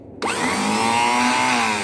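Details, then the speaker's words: 1991 Fiat Premio starter motor: winds up instantly to a high, steady whir at even speed, showing the starter itself is OK despite the car only clicking when cranked. "Então aqui a gente já verifica que a parte do motor de partida em si estaria ok, ó."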